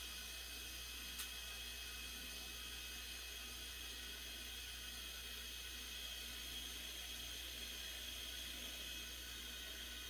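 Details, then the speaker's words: Silent Storm air compressor at startup filling its tank, its loudest phase, reading around 40 dB on a sound meter: very faint steady low hum under soft hiss, no knocks or rattles; running quietly and evenly. "Because that was me talking here, and that's it running. So, in the 40 decibel range, and this is its loudest as it's on startup, as it's filling up."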